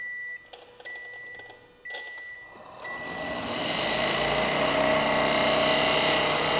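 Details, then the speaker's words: Built Subaru STI before its first start, with no oil in it yet, during a fuel-pressure check: a few beeps, then a loud steady rushing roar with a faint hum as the cooling fans unexpectedly run; cause unknown. "our fan got a rod knock which fan is that that is loud that is so loud why are they on anyway this fan here why are the fans turning on"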